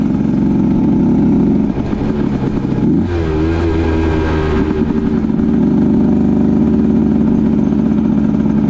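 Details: 2010 Aprilia RS 125 two-stroke, VHSB34LD carb (162 main, K57 needle top clip, B36 pilot, air screw 2.5 out): a high buzz climbs, then hesitates and breaks up around 6,000–7,000 RPM before smoothing. A viewer predicted the stock needle passes too much midrange fuel.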